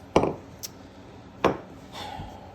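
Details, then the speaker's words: ZR2 engine rotated slowly by hand using the vibration damper: two sharp, hollow knocks about 1.3 seconds apart from one quadrant at the back; under-oiling was first suspected but the cause was different; internal knock. "i want to rotate the engine over and i want to listen for this knocking noise here so you can obviously hear it that's not good so"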